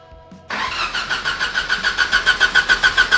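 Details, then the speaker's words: Fake F1 car with a brand new engine computer, coolant, intake air temperature and MAP sensors hooked up, first start attempt: starter cranks evenly about three and a half beats a second but never catches; no start. "Ah, I thought for sure if we got cranking Yeah, me too. she'd start up."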